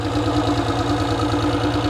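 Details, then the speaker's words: Mercury 225 outboard idling after sitting unused a few months, hiccuping once in a while at first: even, steady pulsing idle with smooth low hum, no misses or knocks; sounds really good, running clean. "Yeah, man, that sounds really, really good, man. I love an engine that sounds like that."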